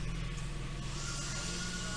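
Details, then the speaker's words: Genesis GV80 V6 turbo after replacing multiple failed GDI injectors and all six spark plugs, first startup, not yet warm: steady, even idle with no stumble or misfire, running smooth where before it misfired right away; fuel trims still adding fuel on bank two. "so far it's running smooth and like last time I was right away it has a misfire"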